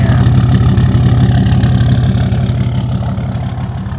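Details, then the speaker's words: Diesel truck with an exhaust brake at an auction lot, likely needing batteries, heard while walking around it: strong, deep exhaust pulses at a steady rhythm that fade with distance. It idles evenly, and the exhaust is breathing well. "it runs well it really does purring like a kitten man let's take a walk see how it sounds that exhaust is definitely breathing"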